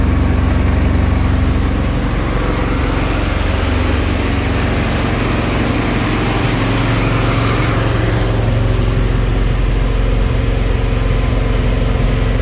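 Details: 1971 Alfa Romeo 1750 GTV with manual transmission, freshly started cold: it holds a fast, steady idle that eases down slightly after a few seconds and otherwise runs smoothly; the high cold idle may need adjusting.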